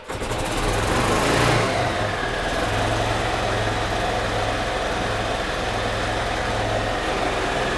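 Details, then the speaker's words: 2008 Yamaha Drive gas golf cart in neutral, customer reports gas smell: small single-cylinder chugging unevenly after a brief rev, spits and sputters after sitting; mechanic suspects dirty carburetor flooding the engine, running rich. "as you can see it starts and runs fine when it sits for a second or two maybe a couple of minutes it'll kind of spit and sputter when it's starting and to me who see knocking it are strong with the gas yeah so it's possible that the carburetor is just dirty and it's flooding the engine a little bit"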